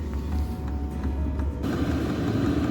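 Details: Lavaner 5kW diesel heater fitted in a static caravan, first start-up after priming the fuel: the fuel pump runs and a steady low drone builds and settles into an even hum as it fires; the heater runs properly.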